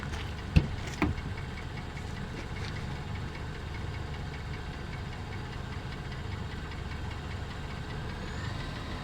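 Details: Mercedes C280 W204 with M272 3.0 V6 at idle then slight throttle: dull, uneven knock about twice a second from deep in the engine; cause unconfirmed, needs further checks.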